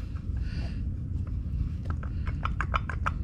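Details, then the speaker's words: 2002 Honda CR-V removed water pump turned by hand: quick, rough clicking about six a second from the worn, loose bearing, so a new water pump is needed. "can you hear so who's terrible need new water pumps"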